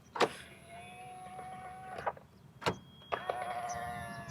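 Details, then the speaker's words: Tata Nexon EV Prime, about 3.5 years old and roughly 100,000 km; whining power-window motor with a clunk at each start and stop and trim buzz, door panel rattling during window travel; owner blames poor plastic quality, cause not confirmed. "हर जगह से आप लोगों को आवाज़ सुनाई देगी इसमें, ये आवाज़ देखो।"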